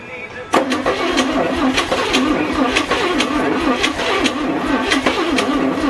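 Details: 1962 Chevy K20 truck engine after cylinder head rebuild with lapped valves and a new exhaust valve, first start attempt: quick even cranking for about six seconds without a clean catch; low compression makes it hard to start, starting fluid used.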